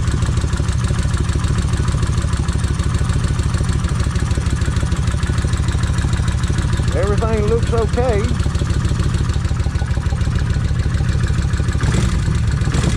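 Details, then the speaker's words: Kawasaki Vulcan 1600 engine cranked after checking oil bolt for blockage, oil holes looked clean: low thumping idle with busy clattery edge each beat about three times a second; start-up rattle of unknown cause. "so uh I know this thing's going to Rattle let me go ahead and uh crank it"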